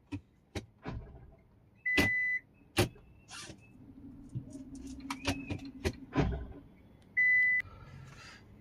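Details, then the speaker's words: AMT (AGS semi-automatic) car brought in for noise when shifting into reverse: clicks and short beeps as selector moves, one hard clunk when reverse engages; Drive engages without problem; cause unclear. "So reverse gear ಹಾಕ್ತಿವಿ ನೋಡಿ, ಗಡಕ್ ಅಂತ ಒಂದು sound ಒಂದು"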